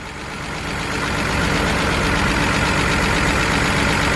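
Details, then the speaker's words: BMW 328i engine at idle with a lumpy, uneven, stumbling beat. A coil-unplugging test shows it running on only four cylinders: cylinder two fires, but cylinders three and four are dead, so it misfires. "uh-oh so this is actually thing is running on four cylinders so we got a coil"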